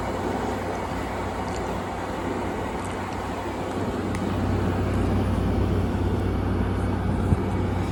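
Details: 2016 Frigidaire 5,000 BTU window AC: steady low fan and compressor hum swelling slightly after a few seconds then holding even; running normally.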